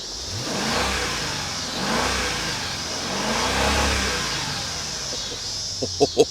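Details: 2003 Mercedes ML55 AMG, salvage title, revved while being driven to warm up: a few clean, even rev sweeps settling back smoothly, no knocks or misses; healthy-sounding engine.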